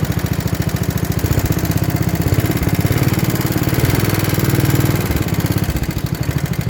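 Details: 1960s Toro Professional 70 reel mower, 8 hp engine, after fuel system cleaning and carburettor rebuild (high idle two and a half turns, low idle one and a quarter): small single-cylinder thumps evenly with no misses or hunting. Normal idle.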